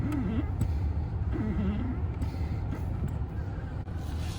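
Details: Car brake pedal squeaking for two years: a wavering, creaky squeak sounds twice as the pedal is pressed, from a dry pedal pivot; a little Blaster lubricant fixed it.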